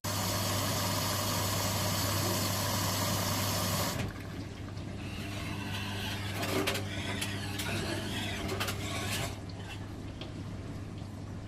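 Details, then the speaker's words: Washing machine making an odd noise; irregular metallic clicks and scrapes under the sloshing churn from a foreign object such as a bra wire trapped between drum and tub; foreign object in drum. "not right that's really not right [Music] okay it was quite evident there was something not quite right with this"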